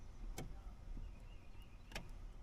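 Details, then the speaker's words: 2008 Chevy Silverado 1500 faulty brake light switch (brake pedal position sensor): sharp clicks about 1.5 seconds apart as it clicks off and on while the pedal is pressed, causing intermittent brake lights and preventing start and shifting. "You hear it click off again. On. Off. Clicked again. Clicked again."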